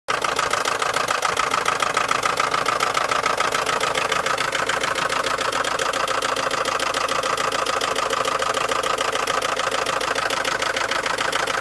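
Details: 2003 VW Golf 4 1.6 petrol engine idling with a steady, sharp knock repeating about three to four times a second. Engine knocking at idle.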